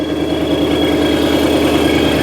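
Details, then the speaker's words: Wrecked supercharged Mustang GT with Corsa exhaust, idling just after its first start following delivery from Texas: an even, steady V8 rumble with a faint high supercharger whine and no knocks or misses, exhaust loud; normal idle. "Oh, there's oil in there or whatever. Sounds good. Yeah. Sounds really good. The exhaust is pretty loud too."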